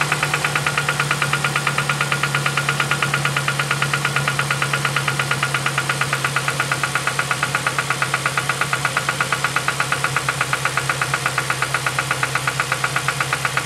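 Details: 2007 Ford Focus ZX4 ST at idle, first start since knocking began weeks earlier at about 4500 rpm, engine reportedly run with no oil; sharp, even knocks nearly three per second over idle hum, suspected rod knock, unconfirmed.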